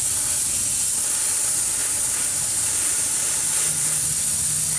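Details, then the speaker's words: Snap-on SVTS263A air-powered cooling system pressure tester feeds air into an empty cooling system with the engine off; a steady, loud, unbroken hiss of air escapes from a split coolant hose. "since this one this one's a large leak I'll show it to you this house is a split right here"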